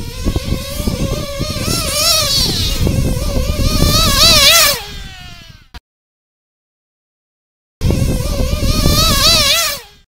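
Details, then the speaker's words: Nitro RC engine during high-speed needle leaning, tuned by ear: it screams up to a high, crisp wail on the pipe with no gurgle or stutter, cuts back, then screams cleanly again, showing a properly leaned top end. "now once i hear that and you know i understand that it's on the pipe screaming its tits off do i stop hell no i keep going"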